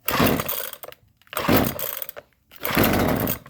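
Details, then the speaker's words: Husqvarna 128LD string trimmer after replacing six-year-old fuel lines: cold start after 10 primer purges, three pulls on full choke; quick raspy pull-cord bursts, engine spins over freely and fires, then half choke; normal start. "oh yeah that sounded really nice half choke cold start lift off that's a beautiful thing"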